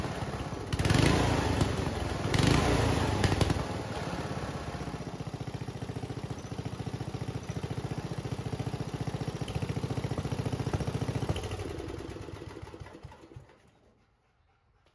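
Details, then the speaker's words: Homemade junkyard go-kart small single-cylinder after reassembly. It chugs at a steady beat of about three and a half pops a second with no backfires, then shuts down; the backfiring seems fixed. "so all right that seemed to fix the problem of the backfiring"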